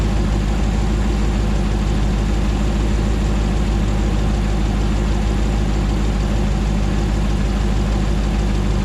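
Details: 2009 Hemi 1500 TRX4 auction truck, first start after months of rebuilding: deep, smooth V8 idle with even settled beat, no knocks, surging or hunting while warming up, no longer jerking like before; normal idle.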